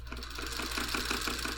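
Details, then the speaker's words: Singer 301 sewing machine from a thrift store, before cleaning, first power test with motor pushed lightly then full speed: rapid regular needle-bar clatter over motor hum with a dry, harsh tick suggesting little lubrication; it then bound up. "it just sounds a little a little dry go a little faster full blast okay okay I don't smell anything burning"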